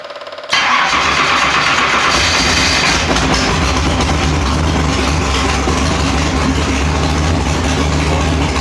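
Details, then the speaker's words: Fuel-injected dragster, mechanical injection, cold start on a chilly day using primer system: engine catches abruptly, sneezes briefly, then settles into a loud steady run as the pump takes over from the primer; normal cold start. "and you can hear when I brought it up and got it going it's it sneezed a little bit it's awfully cold and I've got really good air but it kicked off and it ran"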